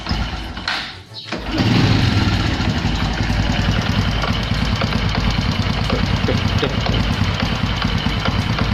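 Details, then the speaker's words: Honda Supra X125 (KPH engine) at idle after clutch housing ring repair and new centrifugal clutch shoes: steady idle with loose uneven rattle, disappears when throttle applied; suspected centrifugal clutch one-way bearing. "Dari bongkar, taunya sempat dari ring rumah koplingnya ada yang lepas gitulah, dan itu udah dibenerin, ternyata masih tetap berikut kampas gandanya udah saya ganti juga. Pas dinyalain ternyata masih bunyi gredeg."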